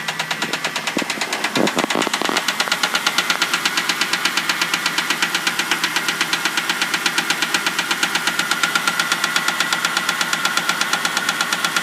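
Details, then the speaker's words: 2000 Ford Crown Victoria started by jumping the starter solenoid with a bump switch (key start does nothing): loud, sharp, even tick at about 170 per minute keeping time with the idle; source not pinned down, small passenger-side leak noted. "it's got a real loud tick"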